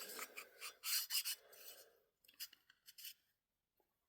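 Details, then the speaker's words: Husqvarna 278XP chainsaw piston slid by hand through the bore: dry high-pitched rasping scrapes, piston slightly too tight with zero front-to-back clearance; to be polished on a lathe. "look you hear that rattle okay where this piston it is slightly too tight. You can hear it."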